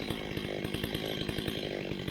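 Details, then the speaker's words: Old neglected Stihl 025 chainsaw after repair and carburetor adjustment: quick, even popping at a low steady idle with no surging or dying; idle set low so the chain doesn't move. "then finally you turn your RPMs back down make sure the chain doesn't move"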